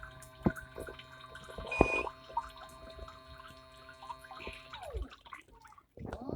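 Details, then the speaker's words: MIC portable mini folding hand-wash machine with 3D-printed dual-action agitator: gentle rhythmic water sloshing over a faint steady motor hum, delicate even agitation with no grinding or knocking; normal agitation. "it does a good job agitating. You can see agitating very good. You can see it only does a delicate agitation because it's a hand wash machine."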